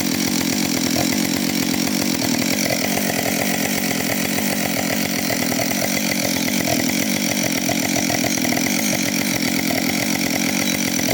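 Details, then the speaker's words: Husqvarna 565 chainsaw, first start after overhaul, cutting wood: strong even two-stroke howl holding steady revs under load, no bogging or misfire; a little smoke because the bearings were oiled, otherwise running well. "Trošku dym, lebo som musel zaolejovať ložiská, ale inak spokojnosť."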